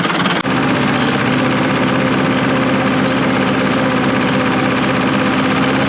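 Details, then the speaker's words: Bulldozer diesel at idle: loud uneven loping beat, seems to run on three cylinders and lacks power in first gear; misfire, possibly low fuel, cause unconfirmed. "be what the hell man that ain't right man it's only running on three cylinders no way yeah yeah I went into the pile and you know first gear and it just doesn't have any power you can hear it loping"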